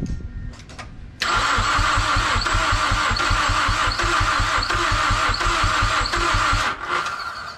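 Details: Mazdaspeed6 after new ECU and all-wheel-drive module programmed via FORScan: steady starter cranking about 2.5 turns a second with faint uneven puffs, trying to kick but never catching; cranks, won't start.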